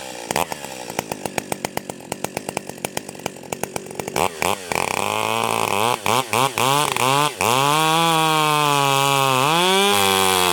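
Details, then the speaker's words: Stihl 028 AVEQ chainsaw cutting a log, high-speed screw turned in about half a turn: it bogs and stutters in the cut, then screams to a high, thin whine when pulled out; high-speed mixture is too lean, so turn the high-speed screw out. "as soon as I pulled it out of the cut you could hear it rev way up and then it finally started going Rich again so what we need to do is is if your saw is doing that you're going to want to turn that highspeed screw out"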